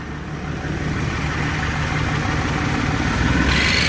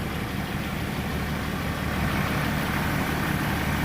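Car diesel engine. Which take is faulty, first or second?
first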